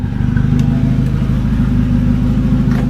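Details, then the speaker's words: 1980s stock-engine turbo Volvo, warm, with the stock exhaust system removed: loud, raw low burble with steady, even firing pulses and audible turbo, no knocks or misses; the engine runs healthy. "that sounds way better now it sounds like a turbo car you can hear the turbo that was cool"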